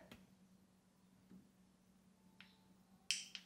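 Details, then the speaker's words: Electric water heater thermostat taken apart: a few light ticks then one crisp metallic pop as the bimetal snap disc snaps over; working properly. "when it gets warmed up, it warps and it bends the other way and it pops and that turns the element off."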